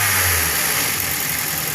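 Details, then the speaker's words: Misfiring car after the faulty fuel injector was replaced, with the owner giving light revs. The idle is short and even with a steady hum and no stumble or miss; the car is now fine. "او ہو او گاڑی ٹھیک ہے اب بالکل اوکے ہے ابھی الحمدللہ"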